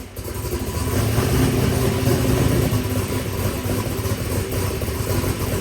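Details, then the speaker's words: First fire-up of a massive Harts 122mm turbo, engine revving with a rough, lumpy note that never climbs cleanly; the wrong CO2 bottle was turned on and the external dump valve wasn't working, so boost never came all the way up. "the external dump valve is not working. That's why it didn't come all the way up."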